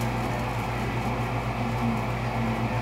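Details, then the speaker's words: American Standard gas furnace, door switch taped: smooth, steady low hum of the inducer motor ramping up enough to pull the pressure switch diaphragm in, giving 24 volts immediately; normal inducer operation. "once the inducer motor ramped up enough to pull that diaphragm in, uh you know, we seen our 24 volts immediately"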